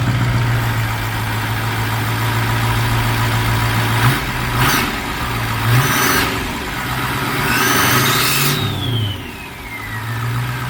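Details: Mustang ("Strokestang") just fitted with a new turbo: steady low idle with a couple of clean blips rising and settling smoothly, no whistle or rattle; turbo sounds fine, normal idle.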